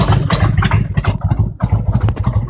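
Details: Harley-Davidson Road King Twin Cam 88 V-twin at around 50k miles, loping idle with a sharp, irregular clack on each beat: a strange engine knock, bottom or top end not pinned down.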